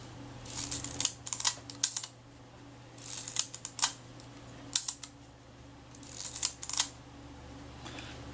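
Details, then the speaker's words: River-submerged Kodak Retina IIIC camera under repair, shutter retaining ring just refitted: crisp, clean shutter clicks in three quick, even bursts in a quiet room, with smooth film advance and cocking; healthy leaf shutter. "As you can probably hear, that shutter's working well. Film advance is smooth, cocks nicely."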